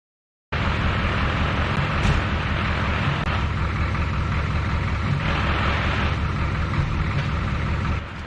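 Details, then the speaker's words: 1984 Ford F250 4x4 twin-turbo 6.9 IDI diesel just swapped to a ZF5 five-speed with LuK single-mass flywheel; rattle and grind from transmission at idle that stops with clutch pressed and returns when released; release bearing suspected at first. "So, we have a rattling and grinding noise coming from the transmission that stops once the clutch is pressed and starts back up again once the clutch is released."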